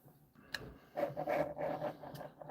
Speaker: You can hear it. All that friction and the thing didn't stop.